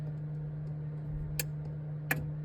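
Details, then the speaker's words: 1972 Chevy C10 with non-working horn: two crisp clicks roughly 0.7 s apart over a low steady hum as the horn button is pressed; horn relay switching normally, fault likely in the horn itself. "So, that relay is working now, so we might have a two-part problem here."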